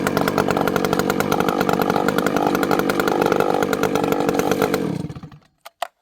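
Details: Vintage 064 chainsaw, rebuilt (ported, new piston, new clutch) with a new carburetor replacing a bad one whose low jet wouldn't tune; warmed up, low jet now tunes over 3/4 turn. Loud steady buzz drops cleanly and quickly back to a consistent idle.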